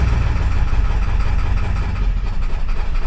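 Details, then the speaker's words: 7.3 Powerstroke diesel with ongoing rough idle: low idle lumps and stumbles unevenly, never steady; owner suspects bad valve-cover connector on passenger side, possibly both sides; misfire likely. "sure still running like Duty like dookie dookie that's probably not good for my engine"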